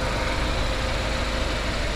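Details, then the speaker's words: BMW 320i F30 turbo, first start after engine rebuild: smooth even idle with steady low rumble, no knocks, ticks or misses, characteristic F30 engine noise; no leaks, stable temperature, 2 bar oil pressure at idle; normal idle. "O carro tá aqui funcionando maravilhosamente bem. Barulho característico de toda a F30."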